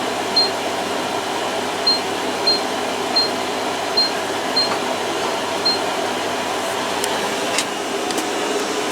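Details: Washer-dryer on its drying test, already warm with the heater on: a soft, steady hum with light periodic chirps and no grinding or knocking, so it is drying normally.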